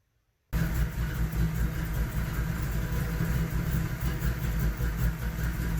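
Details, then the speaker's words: SN95 Mustang on a Terminator X system, first idle on its own, not fully warm with a reading stuck around 40 because the cooling fans aren't wired yet: steady, even idle with a smooth low rumble and no knocks, misses or surging. "but I'm pretty happy with what it sounds like"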